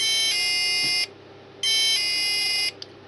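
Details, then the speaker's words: Mini keypad alarm set to chime: two long, shrill, raspy buzzer blasts with a short gap, harsh and distorted instead of a clean beep. Owner suspects the sounder on the circuit board is broken. Harsh distorted buzzer. "okay hey that's an awful sound hear that"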